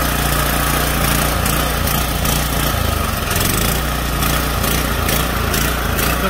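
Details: Junkyard power washer's small single-cylinder engine, after adding oil and cleaning out the carburetor, runs on choke at a steady, even buzz with no misfires or surging: it sounds healthy.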